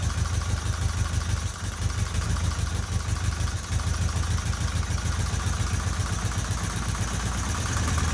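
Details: 1977 Fiat 124 Spider barn find, sat nearly 25 years, restarted with more squirted fuel after running out of gas, no radiator and water pump pulley disconnected: low idle with an uneven, lumpy beat and a couple of sags early; rough idle.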